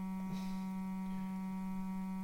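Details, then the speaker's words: 1935 Philco 54C speaker, field coil at 40 mA and about 117 V, during a test-tone sweep from 200 Hz upward; steady clean low hum without buzz or rattle, speaker reproducing properly. "there's two hundred Hertz four hundred six hundred seven eight excuse no that's for k5 k-6 K I'm starting to hear losing about 65"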